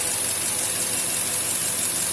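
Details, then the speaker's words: 2000 Toyota Tundra 4.7 L V8 with code P0171 (system too lean) and limited to about 120 km/h, at idle: a constant airy hiss that doesn't change, with short-term fuel trims dropping as throttle opens; intake vacuum leak. "معناها عندنا فاكيوم ليك، تسريب هواء. يعني لما فتحنا الثروتل اصبح تسريب شيء قليل، يعني فبدأت تنزل معانا الشورت تيرم فيول تريم."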